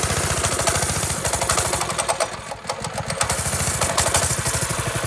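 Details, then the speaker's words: Old go-kart engine with a torque converter, started on a little choke: a fast, chattering idle sags and nearly dies midway, then picks back up; it won't hold a stable idle, and the owner suspects a clogged pilot jet. "I cannot get a stable idle on this thing to save my my wife."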